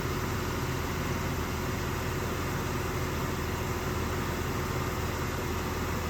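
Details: 2001 Jeep Cherokee XJ, 4.0L inline six, automatic, 73k miles, idling: steady, even low rumble with no knocks, misses or surges; runs great, good oil pressure, no overheating.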